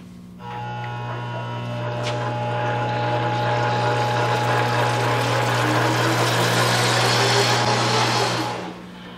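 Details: 32-year-old Monarch 10EE lathe, rated to 4000 rpm, running in forward gear with the oil pump on: a steady motor hum with a low drone and a faint tone near 1 kHz, plus a light rattle about three times a second. The drive runs rough; cause not yet determined.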